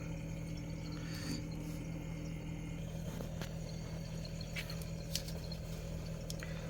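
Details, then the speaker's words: Samsung Zipel SRT686FVIS refrigerator with a steady low compressor hum and no rattle after newspaper was wedged between the condenser and the floor; the periodic rattle came from the condenser's mounting, not the condenser itself. "이렇게 신문지를 끼워 넣으니까 소리가 당장 없어졌습니다"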